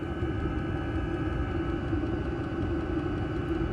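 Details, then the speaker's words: Amazon diesel heater installed under an off-grid yurt, heard from outside underneath after a few minutes running and blowing hot air: steady low hum and whoosh of the combustion fan, even unbroken roar; runs normally, makes a little noise. "you know it does make a little bit of noise under here but uh I don't think that'll affect us too much"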